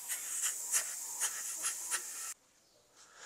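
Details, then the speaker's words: Corsa car with overheating and power loss, cylinder leak-down test with compressor: leak-down gauge won't reach zero and sharp airy hiss with pulsing surges escapes from the cylinder, which is leaking air. "entonces mire m ahí por más de que le metamos aire no llega mire y escuchen acá mire escuchen la fuga que tiene"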